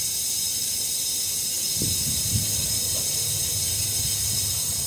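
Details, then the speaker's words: 2004 Lexus RX 330, no start: compressed air fed through the spark plug hole makes a sharp hiss with faint gurgling as it leaks into the cooling system at the radiator neck; combustion leak from blown head gasket, likely warped head, intake manifold not ruled out. "so the air escaping into the combustion chamber of course there's two two scenario here you can hear the bubbles"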